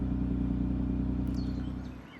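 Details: MK8 Ford Fiesta ST with Mountune M225 Stage 1 tune, just after the performance program was reflashed back into the car: smooth steady low idle with no misses or knocks, then fades out; engine healthy.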